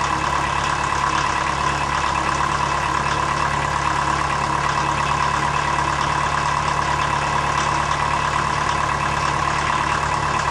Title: Rough idle on cold start, blue smoke